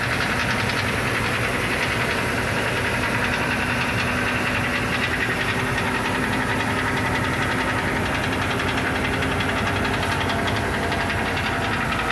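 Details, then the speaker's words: 2006 Ford E350, heard via phone underneath by the exhaust: loud uneven knock like rod knock that comes and goes and turns to rattle; loose substrate in right-hand catalytic converter. "It sounds like a rod knock at times, but there's times that it goes away and other times it sounds like a rattle. I was listening underneath there and it sounds like the exhaust, like somewhere in the catalytic converter."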